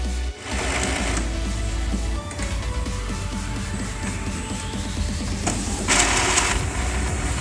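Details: Epson EcoTank L210 that had been flashing all lights, fixed by cleaning the scanner flat cable contact: even whirring carriage passes and rising motor sweep over music; printer initializing normally.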